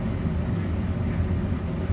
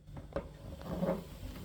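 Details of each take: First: Electrolux PerfectCare 800 EW8H458BP tumble dryer, 6 years old, after drum roller replacement: brief dropout then steady even hum with fan tone; earlier drum knocking and uneven running gone, runs quiet and smooth. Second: Electrolux PerfectCare 800 EW8H458BP dryer after 6 years, drum turned by hand with one side's rollers already replaced: dull, uneven rumble, scraping and a knock from a worn, broken drum support roller on the other side.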